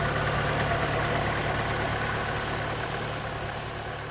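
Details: 1992 Pontiac Sunbird 2.0 inline-four started after a valve cover gasket replacement; fires and settles into a steady, even idle with a light high tick on top, no knock or misfire, running normally.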